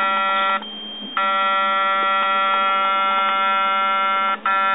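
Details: Yongnuo YN568EX flash zoom motor stuck and buzzing: steady even electric buzz with a hard tonal edge that drops out briefly and returns; mostly worked fine otherwise, unit returned.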